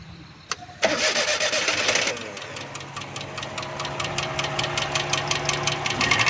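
Right after start-up a sharp, rapid, steady ticking rides over the idle; that's loose tappets with too much valve clearance.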